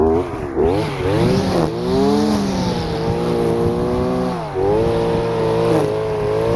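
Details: Stihl FS-250R two-stroke trimmer after carburetor rebuild kit (hardened diaphragm from long storage with old fuel), cutting wet grass: crisp buzz dips and recovers as line bites, pulls back up cleanly; normal running under load.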